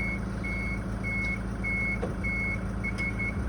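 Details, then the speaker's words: Toyota Hiace diesel idling while the rear wheelchair lift is raised in and stows normally; high steady beeps repeat about every half second, two beeps confirming the ramp is in the right spot. "all you have to do is listen for two beeps to show that the ramp is in the right spot"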